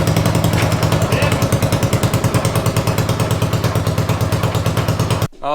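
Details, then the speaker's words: 500cc racing mower build, second attempt after a part broke, fast even thumping exhaust pulses with the wheels turning, no misses or knocks; running clean. "we got it running we're not sure if it moves on its own power but it's the wheels turn everything's good"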